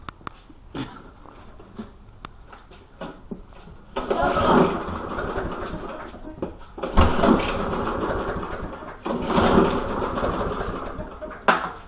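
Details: Walk-behind lawn mower after the spark plug was pulled, found dirty with a rather large gap. Several separate recoil pulls, each a short rough rasp that dies at once; the engine never catches. Cranks but won't start.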